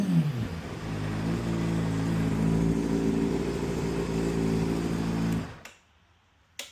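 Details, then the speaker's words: 2010 Honda CBR600RR after an oil change, jump-started after a no-start: crisp, steady idle with an even exhaust beat for about five seconds before shutdown, no ticking or rattles; engine sounds great. Starter solenoid and battery were replaced off camera. "All right, rejumped her. Sounds great. Going to let her run for a little bit and then let's double check that level. She sounds great."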